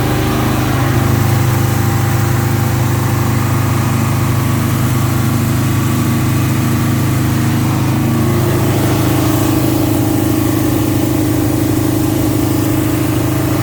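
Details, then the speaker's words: 1971 Alfa Romeo 1750 GTV with manual transmission, just started cold: a steady, fairly smooth idle sits a bit high and eases down slightly as it warms; a fast cold idle that may need adjustment. "it's running relatively smooth idle was a little bit high because the engine was cold but uh it it will need to be maybe adjusted because it we did leave it for a while it did drop"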